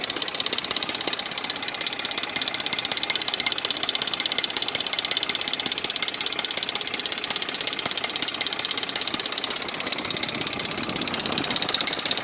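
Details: Dodge 4.7 engine at idle: fast, even, high-pitched tinny rattle and ticking over a steady idle, diagnosed as the timing chain rattling.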